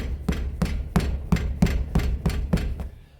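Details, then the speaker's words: Chevrolet A20 pickup, right passenger-side wheel struck by hand: about eight hollow metallic clunks, roughly three a second, like the wheel will fall off; left side silent; loose brake caliper from a broken pad retaining clip. "Tá fazendo um barulho dessa roda aqui, ó. Parece que vai cair a roda."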